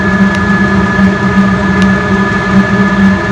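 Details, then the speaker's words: Diesel heater after ignition, turned up to high with fuel pump pumping faster and warming up: even combustion roar, steady low hum, soft regular fuel pump ticks; burning cleanly on high. "and it's starting to get warm now big in here just crank up he'll pump started pumping faster"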